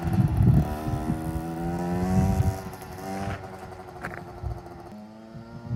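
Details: 2007 KTM 65SX two-stroke after top-end rebuild with a Vertex piston kit, heat cycled, ridden with gear shifts: crisp buzz climbing and dropping cleanly with throttle through each shift, no misses or rattles; normal running.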